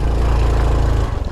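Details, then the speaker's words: 2021 Honda Trail 125 (CT125) pulling hard near full throttle on a slippery uphill trail: heavy low drone that eases as load drops, running cleanly. The rear wheel doesn't spin because the soft clutch slips, so this is normal heavy load. "okay see that's what i wanted to show you guys that was almost full throttle and uh the wheel wasn't spinning so that's where that soft clutch comes into play"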